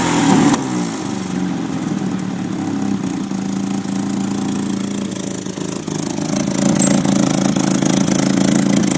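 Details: 1993 Nissan 240SX S13 SR20DET on jacks with an exhaust leak: idle hunts and stumbles unevenly, near stalling; owner found a slight oil overfill that was burning oil, with injector cleaner helping.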